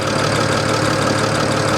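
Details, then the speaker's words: Idle heard under the hood of a salvage-auction car that looks thrown together, with an apparent ECU loose at the side. Light, busy rattle over the running note, cause not pinned down; alternator is charging. "Under the hood. Sounds a little rattly to me."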